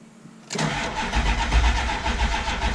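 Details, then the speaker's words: 7.3 diesel truck run dry of fuel, refueled, new crank position sensor, building oil pressure: starter spins steadily with uneven chugging but never fires, batteries weakening; crank no start from air in fuel system. "let's see still ain't starting though none see she building oil pressure so I don't know what's going on"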